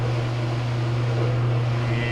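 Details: Whirlpool RAX7245KQO conventional top-load washer, spin test after motor coupler replacement for a no-spin/buzzing complaint; steady, even low hum with no buzzing, knocking or grinding. Spin works normally.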